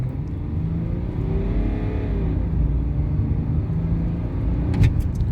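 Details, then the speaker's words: BMW 525d E60 six-cylinder diesel with a battery-drain recall, under full-throttle acceleration on a test drive: deep, steady pull with a smoothly climbing note, no hesitation or flat spots, proper boost. It now runs as it should, though a vacuum leak is still suspected. "yeah that's better yeah that's what it's meant to be doing"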